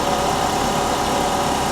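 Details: 1984 GMC/Chevy G20 conversion van, long abandoned, at idle with air conditioning on but probably not cooling: even, steady idle with a constant mid-pitched drone and no knocks or misses; engine runs healthy.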